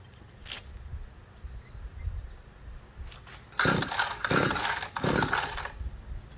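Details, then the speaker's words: Small engine no-start: three quick rasping pull-cord strokes with no catch or pop, never trying to start. The spark plug, pulled afterwards, looked fouled and as if it was not firing. "Well, Still doesn't sound like it's even trying to start. Well, we're gonna check the spark next here, guys."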